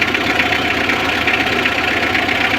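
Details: Mitsubishi L300 4D56 diesel after cylinder head replacement, radiator shroud removed because the fan was hitting it and causing noise: even idle with steady regular clatter, no scraping or ticking from the fan area; now running normally.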